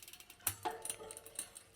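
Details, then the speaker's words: Chain clicking on a mountain bike rear derailleur: faint irregular ticks as the chain tries to jump to the next cassette cog because the limit screw is turned in too far, leaving the derailleur too far in. "ck that's because the chain is trying to jump to the next gear in the cassette I'll go a little bit further guess what if you go too far it'll actually want to shift to the next one so that means my derailleur is now too far in"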